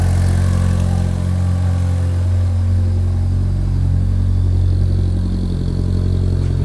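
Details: Fiat Panda with swapped Abarth Panda Turbo T-Jet engine, idle after swap: deep, steady, heavy drone with no misses or knocks, seems louder today; cause not pinned down.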